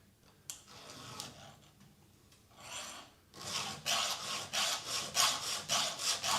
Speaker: you can hear it dragging backwards? That's damaging the cutters, and I'm going to show you under the microscope.